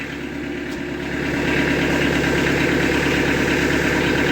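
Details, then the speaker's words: Kubota B3000 diesel tractor idling with a steady, even clatter and no stumbling after an electrical fault (OPC fuse blowing, seat switch) was fixed; keeps running with the seat flipped forward, confirming the repair. "good super she's still running good we fixed it hooray we fixed it"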